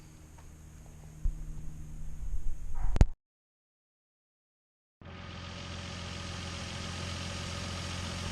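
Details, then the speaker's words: 2015 Nissan Frontier V6 with nearly 200,000 miles, after fixing a P0305 cylinder 5 misfire with a new coil pack and all new spark plugs: after some handling knocks, a steady, even idle with no stumble, smooth as before the rat damage. "Uh, I've changed them twice before and uh, so anyway, it's back together and it runs nicely. It's very smooth uh, like it was before the rat."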